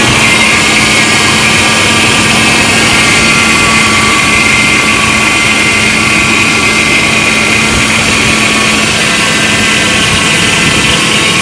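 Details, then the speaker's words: Chevrolet 4.3L Vortec on its first run idles with a rough, fluttering rasp; the owner suspects the fan is hitting plastic, or low power steering fluid, not confirmed. "it sounds like it's it might be hitting that fan on that plastic I don't know could be could be my could be my uh it could be my uh power steering too was low"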